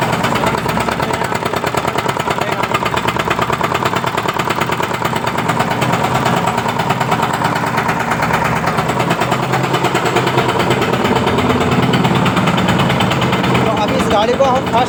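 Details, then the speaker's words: Mahindra Jeeto with P040300 EGR valve open-load error: fast tak-tak knocking, about three per second, loud over the idle; mechanic suspects a jammed or blocked EGR, something stuck inside, or EGR staying open; cause not yet confirmed. "बहुत ज्यादा ही खतरनाक sound हो रहा है ऐसा sound जो है एजीर जाम होने से भी आता है या एजी आर बलक हो जाना जीर के अंदर कुछ फस जाना एजर ओपन रहना"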